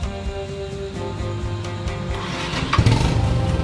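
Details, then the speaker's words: Motorcycle electric start after replacing its weak battery with a used lithium battery. Starter spins briefly, then the engine catches cleanly and settles into an even idle over background music; healthy start, battery still good. "kita matikan kita Nyalakan lagi nih menyala ya double Star Oke mau menyala-menyala dengan baik berarti baterainya masih bagus walaupun bekas"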